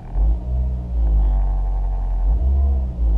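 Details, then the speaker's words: 2006 Ford Focus, 180,000 km, at fast idle around 1500 rpm, recorded from inside the car: deep smooth idle swells cleanly with a little throttle and settles back, no stumble, hesitation or backfire; revs willingly, healthy engine. "Revs up willingly. You don't need to rev engines high."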